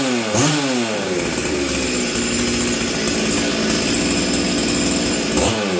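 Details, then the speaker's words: Stihl 044 Arctic chainsaw with all-original parts, low jet leaned slightly to 1 1/8 turn, high jet at 1/2 turn, still sounding rich: blips then settles to a rough, hunting idle that stumbles. "um it still feels like it's stumbling"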